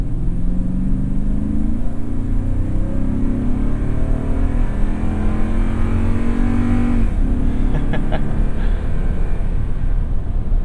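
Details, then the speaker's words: Second-generation Toyota Tundra 5.7 V8 with 183,000 miles, unladen, on Kumho Road Venture AT52 tires, recorded with in-ear binaural mics in the cab; deep V8 note climbing smoothly with speed then easing off, strong even pull, no misses; normal acceleration. "But you gotta love the sound of that 5.7."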